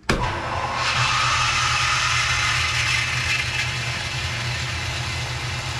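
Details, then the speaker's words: Newly plumbed boathouse water pump, first start charging pressure tank with outlet valve shut: motor starts and settles into steady even hum with water rush; picked up prime right away, running normally. "well it sounds like it picked up the prime right away how about that and pick the prime up right away and I'm impressed with that"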